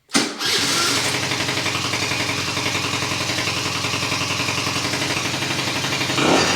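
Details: 2004 Kymco Super 9s 50cc liquid-cooled two-stroke scooter, after a top-end rebuild and coolant refill, having sat over a year without starting: quick start, then a steady, even buzzing idle at about 220 pulses a minute with no misses or knocks; running fine.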